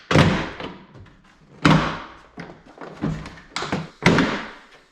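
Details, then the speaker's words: Toyota FJ Cruiser door closing with heavy thunks trailing into a loose, buzzy rattle; a nut was missing from the door hardware, and fitting a spare nut stopped the noise. "oh i'm missing a nut but i've got an extra laying around look at that no more noise"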